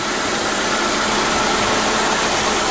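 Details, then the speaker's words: 2006 Hyundai Tucson, P0507 and loss of power, lean condition from a failing aftermarket fuel pump, after fuel pump and mass airflow sensor replacement: starts right up and holds a steady, even idle with the AC humming, no misses or knocks. "So matter of fact, let's start the vehicle so you can hear how it starts. All right, starts right up."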